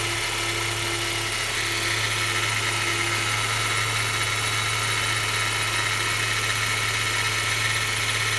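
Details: BMW 116i cold start every morning after timing chain replacement; steady engine with a dense, hissy rattle running over it, cause unidentified.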